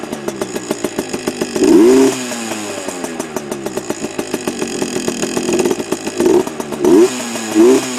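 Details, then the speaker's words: Heavily modified Yamaha PW80 two-stroke with FMF parts: crisp ringing idle blipped into several sharp rev bursts dropping cleanly back; revs freely, healthy, louder than stock. "but she sounds a lot better than stock anyway um a lot more uh loud as you can hear yeah that's it good old Yamaha definitely better than the Chinese junk"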